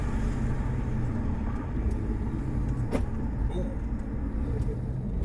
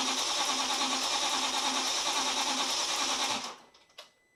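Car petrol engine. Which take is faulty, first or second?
second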